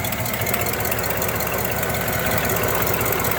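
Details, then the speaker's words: 1975 Cadillac Eldorado V8 idling after a cold start at about 75°F: even idle with a faint puffing tick, a small exhaust leak of unknown origin. "A little bit of an exhaust leak up here."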